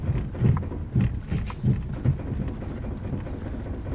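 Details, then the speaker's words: Driving at night, front end gives dull low clac-clac clunks about every half second that then fade; lower control arm bushings found very badly worn, like the earlier Mustang's mystery noise. "Se oye clac, clac, clac. Aquí nos pasó con el Mustang. Los que han visto todos los videos. Aquí se oía el ruido misterioso del Mustang. Y no, también les digo, están muy mal las horquillas de abajo. Muy, pero muy mal. Los bujes esos."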